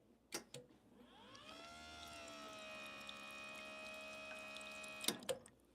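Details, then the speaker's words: Gear pump of an espresso machine, said to sound more like a race car than a rotary pump. A clean whine climbs over about a second, then holds a steady, even pitch with no rattle or surging; normal gear pump running. "And with the gear pump sounds like more like race car, right? Okay, sounds very and pretty cool."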